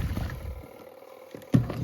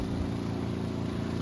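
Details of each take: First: Costway Giantex washing machine on a 6-minute wash: irregular hollow clunks a few times a second over the agitator's slosh come from the loose lint filter banging, and the machine is starting to drip. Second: Now, hold it. It's going to get noisy. It's loud when it builds up. And you can see it's draining some water out. As it builds up, it's louder as it builds up.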